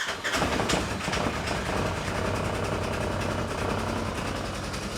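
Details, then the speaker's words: 2015 Polaris RZR 900 at startup before its worn primary clutch is replaced with a Mother Clutcher kit: a loud engine with fast, light clicking over the idle; worn primary clutch rattling. "So, if you guys can hear, I know it's loud, but you'll hear that clicking noise. Yeah, not good."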